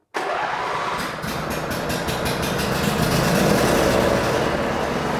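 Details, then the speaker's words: Husqvarna YTH22V46 garden tractor with over 780 hours, started right after an oil change and run about 15 seconds: quick catch from silence into a steady, even putter with no knocks or misses; normal start and idle. "it fired up with no issues. Now it's going to take a little bit of time for the oil to get settled back down so you can get a reliable oil reading."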